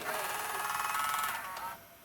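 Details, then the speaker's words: JVC HR-S8600 S-VHS VCR, cover off in service mode, seeking fast-forward: brief high whirring with rising chirp winding down within two seconds, normal dynamic head drum movement. "And then if I go into seeking fast forward, you can hear the dynamic drum moving"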